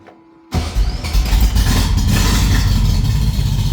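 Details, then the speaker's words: Custom 1962 VW Beetle, timing advanced after hard starting, carburetors not yet synchronized, idle not adjusted: fuel pump buzz, engine fires right up and settles into a busy, slightly uneven idle; oil and alternator lights go out. "Fires right up. I haven't synchronized the carburetors or anything yet."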